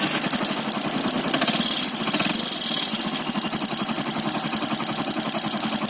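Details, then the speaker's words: Motorcycle single-cylinder engine at idle: fast, busy metallic ticking over an uneven idle; piston loose in the worn block, piston slap. "ये नॉइज देख रहे हैं आप, ये जो नॉइज आ रहा है, आवाज़ आ रहा है, पिस्टन का आवाज़ आ रहा है। अब पिस्टन ब्लॉक में ढीली हो गई है, इसलिए वो आवाज़ कर रही है।"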